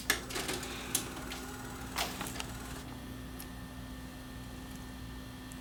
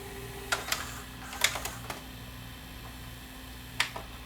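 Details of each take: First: Panasonic PV4361 VCR, tape-eating fault: on power-up, quick mechanical clicks and whirring for about three seconds, then only a steady low hum as the deck shuts itself off after starting to play; cause unknown, owner wonders about a bad head. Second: Panasonic PV4361 VCR (1993, OmniVision) after repair, pause mode: low steady motor hum with a few crisp mechanism clicks as it drops into pause; the transport behaves normally and everything works.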